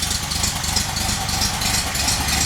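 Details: VW engine idling on a rigged temporary petrol tank, with a leaking fuel pump: a dull, rhythmic low woofing pulse under a hissy top end. The cause is unknown and the engine must come out again.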